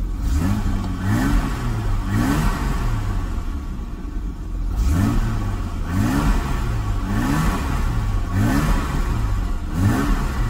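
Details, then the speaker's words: BMW E30 M20 six-cylinder after a vacuum leak at the valve connection was fixed: clean repeated throttle blips, revs rising and falling smoothly and settling evenly with no hunting or stumble. Idle speed is now good; normal revving. "this is what the whole thing looks like as you hear it, it's running like this now and as you can see The idle speed is now good,"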